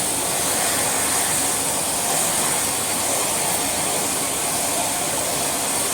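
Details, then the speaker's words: Electrolux Dolphin Z2230A vacuum after full refurb, motor's dry brass-bush rear bearing now greased: steady airy roar with no grinding or squeal while sucking, only a tiny bit of wind-down; runs fine. "So it's now got some lovely grease in it, and yeah, when it's running, sounds fine. Just that little teeny tiny bit of wind down, which I'm more than happy to live with."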